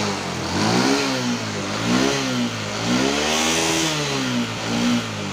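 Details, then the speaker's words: Honda Wave 125S after closing the choke that had been left open: clean repeated blips climb smoothly to fuller revs than before and fall back to a steady idle with no stumble. Some smoke is visible, but it still idles fine. "ได้สุดกว่าเดิมนะครับแล้วรถก็มีควันแล้วแต่มันก็ยังเดินเบาได้นะ"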